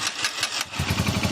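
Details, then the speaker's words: Haojue 125 motorcycle after engine overhaul with transmission and crushed needle bearing replaced, new bearings needing break-in: engine catches after a few cranking pulses, settles into even low putter, no clatter; healthy start. "Kaya mga bro, umandar na po yan, oh."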